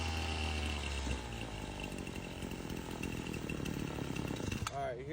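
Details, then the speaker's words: Husqvarna 525L two-stroke: buzzing high idle that stumbles, surges and then cuts out abruptly, caused by an air leak at the gasket behind the carburetor. "how it was high idling and then it stumbled until it fell off high falls off all right I can see it from right here that behind that carburetor that gasket right there"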